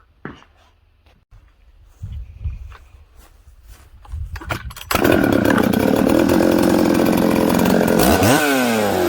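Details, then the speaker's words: Newly built 266 chainsaw after sealing an air leak at the oil pump O-ring with assembly silicone: fires, holds a steady even idle, revs cleanly and settles quickly in any orientation. "i had the saw running there you can see it starts it idles it settles down quickly i can flip it all around it's good"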